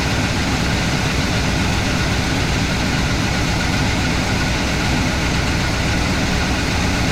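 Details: IHC/Blazer wrecker, previously no-start, after battery recharge and timing adjustment: steady, even low V8 rumble with no misses, knocks or surging at a smooth idle.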